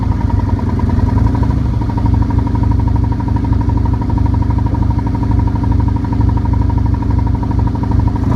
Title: 2008 Nomad Engine knock